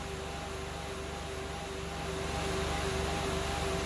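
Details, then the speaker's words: 2008 Saturn Aura with CAN bus faults, cold engine idling with code P0128: a steady rushing roar and constant hum, getting slightly louder, as the cooling fan runs on high. "we definitely have a cooling fan going on so more to come"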